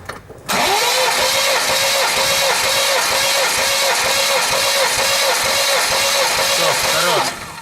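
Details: New 1.8 L naturally aspirated engine on an 11 block with a knock suspected in the crankshaft; steady starter cranking with evenly spaced compression pulses, throttle floored, weak battery; all cylinders read exactly 12, rings and pistons hold normally.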